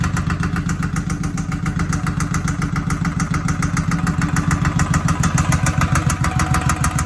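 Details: 2007 Suzuki Boulevard M109R at idle: loud, regular heavy knock at about 200 a minute over a lumpy idle, coming from the right side of the engine; hard mechanical knock deep in the engine, cause not yet found.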